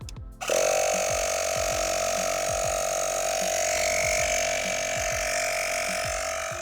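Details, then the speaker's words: Etenwolf S1 portable tire inflator filling a tire (non-stock wheels) to 36 PSI: a steady high buzzing pump with a fast rhythmic chug that slows slightly as pressure nears 36 PSI; it is operating normally. "You can hear it slow down as it gets close to 36 PSI."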